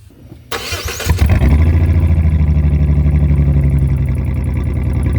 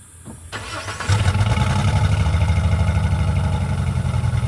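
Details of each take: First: 2004 Jeep Liberty 3.7L with muffler and tailpipe removed during replacement: starts and runs with a deep, loud, rough rumble and open blatty pulses at idle; loud exhaust with no muffler. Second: 2004 Jeep Liberty 3.7L after replacing the muffler and tailpipe to cure an exhaust leak: catches and settles into a steady, deep exhaust note with no rattles or leaks, sounding a little louder; normal running.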